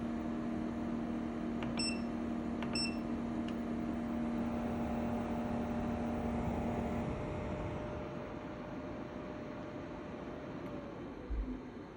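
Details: EcoFlow WAVE portable air conditioner while cooling: loud unpleasant steady low drone with higher whine and a few beeps, likened to a car engine; hum stops partway; cause unclear.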